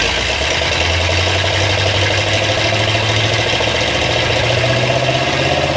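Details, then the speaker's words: Old International pickup's swapped V8 on first start-up and break-in, fired right off despite a leaking radiator and an oil leak at one valve cover: steady, even rumble with a slight pitch rise, no knocks or misses; normal running. "well it runs so get fired right off my uh water situation is not great we'll deal with it we'll get it put together and sounds like it's going to be good"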